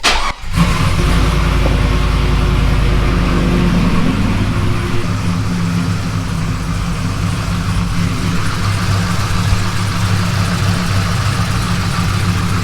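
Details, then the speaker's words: GMT800 Cadillac Escalade with HP Tuners tuning; intermittent hard start that sometimes only fires on the second crank attempt, and priming the fuel pump twice sometimes helps. Here it catches quickly, revs, then settles to a steady deep idle with no knocks; cause not confirmed. "Another tuning issue we have is sometimes it only wants to crank on the second attempt. Let's see what it is. Sometimes if you prime the fuel pump twice, it'll crank on the first try."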